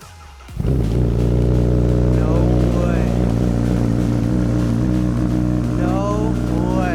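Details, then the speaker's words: Salvage, wrecked Honda CBR1000RR first start after trickle-charging the battery (fuel leak noted): brief crank, then steady even idle with no knocks or misses under background music; engine runs healthy. "Sounds good. Oh my god. That thing is raw."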